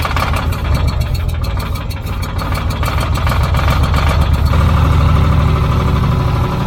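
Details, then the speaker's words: Old Caterpillar D6 dozer diesel on fresh batteries: steady low chugging about four beats a second, turning over but never catching; no fuel reaching it, fuel supply shutoff closed. "all right I am not getting fuel am I I run it long enough that it should have picked up fuel"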